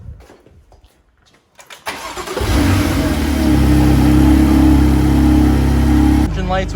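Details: BMW M2 CS, first start after fitting Eventuri carbon intakes: starter cranks briefly, catches and flares to a strong, steady, even idle; clean healthy start, intake sound not as loud as expected.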